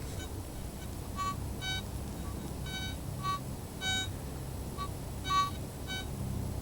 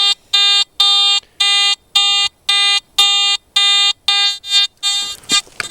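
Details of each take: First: Garrett ATX pulse induction detector, stock 12x10" DD coil, sensitivity raised to 13, over an "invisible" 1.15 nugget: short, faint high beeps come and go over low background rumble as the coil sweeps, a tiny target detected; normal target signal. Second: Garrett AT Gold detector ground balanced at 64, scanned over a seam of hot iron-mineralized ground: buzzy tone chirping about twice a second turning ragged and erratic; ground mineralization noise.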